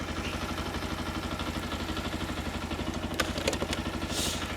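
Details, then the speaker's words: Keeway RKR 125 bought sight unseen, running after new spark plugs and a booster pack, with the battery now charging: steady even putter of about four beats a second with a brief clatter; small single idling normally. "just let it run now let it idle I think um and we'll see how we get on"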